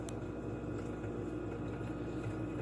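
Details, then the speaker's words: Frigidaire fridge after unplug and replug, freezer door open: steady compressor hum with crackling as the evaporator coil starts freezing, and no evaporator fan whoosh, isolating the fault to the evaporator fan motor. "is actually your evaporative coil starting to freeze up and I don't hear my evaporator fan kicking in so right now at this point I've at least isolated it to the evaporator fan motor"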